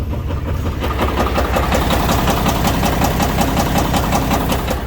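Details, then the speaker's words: International (Inter) American truck diesel bought cheap, knocked while being driven; on restart, heavy regular metallic knock about 160 per minute through the rumble, oil pressure dropped slightly; engine knock, shut down. "до места стуканул мотор а так понимаю смотрите завожу мотор стуканул слушайте"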